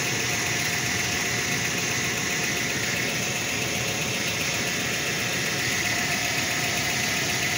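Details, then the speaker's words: Ford Flareside pickup, first start after sitting about four years, intake switch and battery replaced: steady, even idle under a fair amount of hiss with no knocks, misses or stumbles; the engine sounds fine. Normal idle. "pero no se escucha mal señores no se escucha mal el motorcito"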